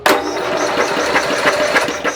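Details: Snapper SR-Series rider with 10HP Briggs and Stratton, stored 10 years, cold weather, battery-assisted electric start: slow, even starter chuffs about three a second with no firing; no spark found, cranks but won't start.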